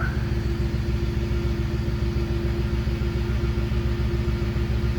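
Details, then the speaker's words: 2010 Ford Expedition with a rear air suspension P1726 code, after swapping in a new Arnott compressor: steady low hum with an even motor drone under the idling engine at startup; compressor runs normally and the vehicle raises. "Hear that little compressor running right away. The other one wasn't doing that, and you can already see it raising up."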